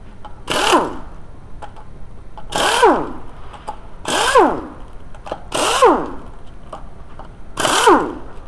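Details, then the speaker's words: Audi B5 2.8L V6 quattro left rear wheel bearing, with play in the wheel: each hand spin gives a rough growl that drops in pitch as the wheel slows, a badly worn, loose bearing. "Got some play here. I think you can hear that. That's pretty bad."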